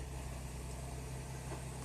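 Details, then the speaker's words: 2009 Toyota Highlander Hybrid 3.3L 3MZ-FE V6, started after timing belt, water pump, tensioner, idler and seal replacement, settles into a low, steady idle with an even hum, no knocks or ticks; normal idle before warm-up. "just put my foot on the accelerator and the engine went on i would just have to let the engine warm up"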